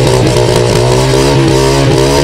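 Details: 2010 Honda EX5 Dream, 100cc air-cooled single-cylinder, carburetted, 8.9 hp, 45k mileage, one owner: small single buzzing evenly at idle, with throttle blips that rise and settle cleanly, no knock or rattle; healthy.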